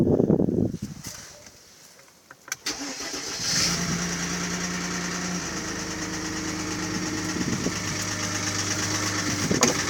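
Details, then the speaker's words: Mercedes ML320 V6 (M112 3.2) at about 300,000 km cranks, catches, then idles with a light, uneven hollow knock that remained after bearings, chain, tensioner, camshafts and lifters were replaced; piston slap from scored cylinder walls. "в общем там задирать страшны плохо видно внушить того что задира это стук-стук а за задиров поршня болтаться в гильзах и вот этот стук издается такой характерный"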